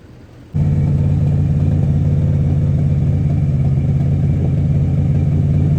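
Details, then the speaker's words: 1986 Jeep Grand Wagoneer bought not running well: it starts into a deep, lumpy, uneven idle and won't keep idling; the owner thinks it is just out of gas. "Well, we can't seem to keep it idling, so we're just gonna tow strap it up to the house to power wash it. I think it's just out of gas though, so we're gonna probably put some gas in it next."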